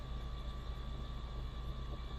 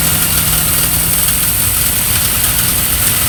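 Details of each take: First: Triumph Stag engine not run for about 15 years, cranking with spark plugs out to build oil pressure (reaching 30 on the gauge): starter spins it briskly and evenly, steady whirr, no knocks or binding. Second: Triumph Stag, first start after about 15 years unrun, carbureted: lumpy idle with occasional miss, throttle blips bog instead of picking up because the accelerator pump jets aren't working.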